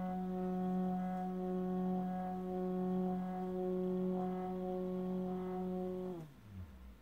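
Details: Rhino Motion Slider motor, second replacement unit, running at speed 4: loud steady buzzing drone at one fixed pitch, dropping sharply in pitch as it stops; speeds 1–3 and 5–9 run fine.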